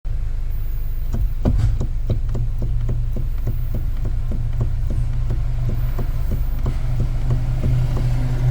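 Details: Hyundai/Kia MDPS electric steering, car stopped, wheel rocked left and right: repeated dull knocks about three a second from a prematurely worn MDPS motor flexible coupling rubber; fix is replacing it with the improved coupling.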